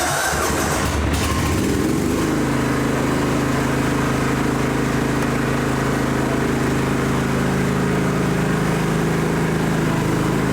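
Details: John Deere GT225 lawn tractor on its first test drive: catches quickly and settles into a smooth, steady run with an even beat. Runs and drives nicely and fires easily; the battery light stays on.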